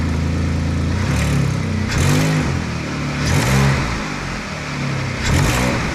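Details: Saturn V6 running after replacement of the upper intake manifold gaskets and valve cover gaskets (spark plugs and ignition coils per title). It rises and falls cleanly through quick throttle blips without stumbling or ticking; healthy.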